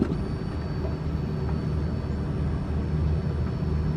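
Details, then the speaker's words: Truck with fuel pump newly replaced, module bypassed by jumping the two outer connector clips: thin steady high whine over low rumble as pump primes normally, proving wiring and pump good and the module faulty. "okay well fuel pump kicks on so now that tells me that none of the wiring or the fuel pump is bad it's going to be that module"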